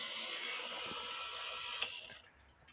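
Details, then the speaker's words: Regula 701 one-day cuckoo clock movement, governor run with fan blades off after a drop of oil on its pivot, 750 g weight fitted; light even high whirr, no rubbing noise, spins fast then down; governor running freely. "he pivot on this governor this pivot right here and I put a drop of oil in now Watch What Happens no noise you see how fast it went"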